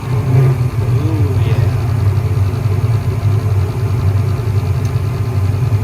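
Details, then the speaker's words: Furnace with only one burner lighting and flame rolling back to the spud, after replacing the gas valve with a bad regulator: low steady burner roar at constant level, not swelling louder; flame sound even and healthy. "Even the flames look better, and if I don't know if you can hear it, but the flame sound is consistent. It's not starting quiet and getting louder and louder."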